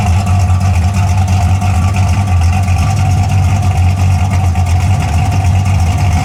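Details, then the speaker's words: 1981 Camaro after a top-end swap, on open headers, timing and carburetor not yet adjusted: deep, steady, lumpy idle with an even beat, no knocks or ticks, holding speed smoothly; engine sounds healthy. "But I ain't got the exhaust on it, it's still open headers. But so far, sounds pretty good."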